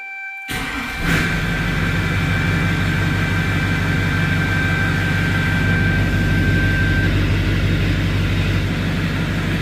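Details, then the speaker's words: 2001-2016 Duramax diesel truck after fuel filter change and oil fill, good oil pressure, oil full on dipstick: catches after a second, settles into steady, even diesel clatter with smooth low rumble; normal idle. "got good oil pressure she's full on the dip stick"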